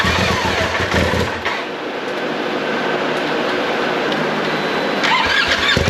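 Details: 2019 Polaris XP Turbo, about 5,500 miles, first start after engine rebuild for failed crank bearing; catches and settles into a loud, ragged, shaky idle with heavy vibration; rough idle caused by swapped MAP sensor connectors.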